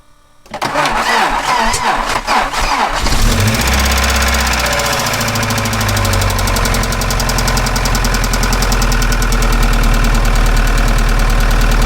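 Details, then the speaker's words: Moskvich with an Opel C20XE engine, cold start before cleaning the hydraulic lifters: a short crank, then a fast, light top-end ticking over the idle; hydraulic lifters tapping while cold. "поэтому мне стало интересно попробовать почему нет покажу вам как это будет сейчас покажу сначала как они стучат"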